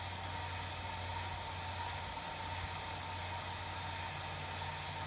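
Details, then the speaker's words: Lippert Ground Control TT auto-level on a 2017 Windjammer 3029W travel trailer, rear jacks extending to ground: steady, even motor drone with a faint constant whine over a low hum; jacks sound normal. "So now it's going to go and start grounding the rear, and you see them going down."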